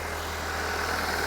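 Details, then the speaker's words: Crash-repaired Audi TT with S-tronic gearbox, rebuilt from two damaged cars with repinned connectors, first start with coolant still well short: catches and settles into a steady, even idle with no knocks, misses or squeals; sounds healthy. "Nowhere near enough yet, but engine runs, it all sounds good."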